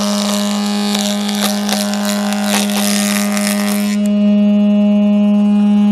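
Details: Jointer with freshly sharpened knives, first cuts in about 20 years, gravity-feed chip removal with no suction; steady motor hum as the cutterhead cuts through a board, then spins smoothly free: normal running.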